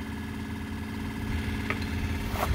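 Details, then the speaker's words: PBL Industries FP12 fuel transfer pump on a trailer fuel station, after gear repair: steady electric hum, even low drone, no grinding, now pumping fuel; normal operation. "so boom there you go now it's pumping gas and then when i stop pumping it's supposed to stop or slow down and that's why it has a timer"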